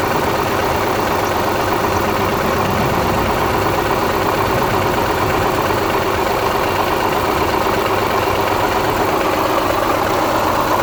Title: 02 Subaru Legacy engine -- rod knock or piston snap? Help!